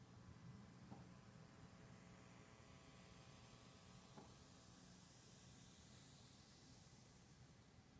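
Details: Focusrite Scarlett Solo RCA output to studio monitors after addressing hum and ground-loop noise: only a faint, even hiss with a trace of low hum, no buzz or pulsing; output is quiet and clean.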